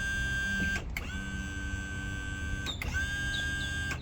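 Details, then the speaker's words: Boat jack plate motor, stuck in the up position, tested after rewiring in the rain: short bursts of steady electric whine starting and stopping cleanly with the switch; working normally again. "all right seems to be working good"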